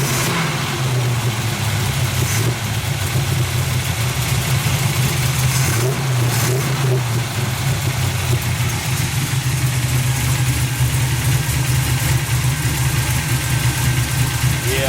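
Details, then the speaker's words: 350 V8 truck first start, late session: idle and blips are lumpy and uneven, with no smoke and no death noises. Cause not yet found. "It don't seem to smoke. I haven't heard any death noises in it yet. Fans work. See, she don't sound too good."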